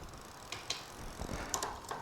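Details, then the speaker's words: Magicycle step-through cruiser, seven-speed derailleur after adjustment, pedaled by hand while shifting from 1st to 7th: quiet freewheel ticking with soft single clicks, no clatter or grinding; clean shifting. "5th gear, 6th gear. Again, you're not hearing a bunch of click and clack."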